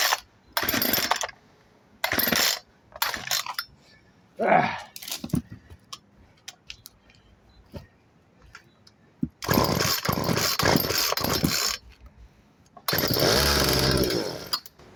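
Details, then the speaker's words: Craftsman 36 cc 16-inch chainsaw that previously pulled but wouldn't start: fires and revs hard in short bursts, dropping quiet between, then holds a steady high rev; runs again, cause of earlier fault unclear. "oh well it does run I don't know what that's all about though"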